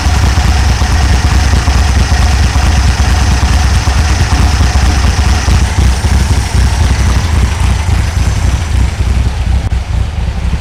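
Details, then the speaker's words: 1964 VW Beetle just fitted with new carburetor, rockers, coil, rotor and cap, possibly flooded from excessive cranking; loud low idle with uneven galloping lope about two beats a second; possibly a cam, unconfirmed. "uh it sounds like it has a bit of a cam in it not sure might have to talk to you know talk to talk to the owner and see if it does or not"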